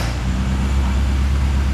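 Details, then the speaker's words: 1974 Mini Cooper, manual choke, after fixing spark grounding: small four-cylinder starts easily and idles with steady low even rumble, no misfire or rattle; runs well, owner thinks a tune-up would help. "and she comes to life pretty easily and it runs pretty good actually I think a tune-up would be beneficial"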